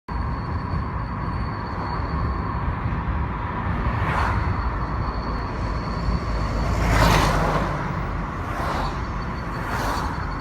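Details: Car driving with a thin, steady high whistle over road noise, appearing after 20+ km, absent when braking and at idle, strongest at 30–80 km/h regardless of gear; speed-dependent whistle.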